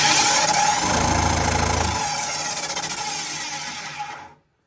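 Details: Vent-A-Hood K250 range hood fan: steady roaring hum with a rhythmic rattling throb and heavy vibration; blower wheel vibration, nothing stuck inside, motor at the back can cause the same noise.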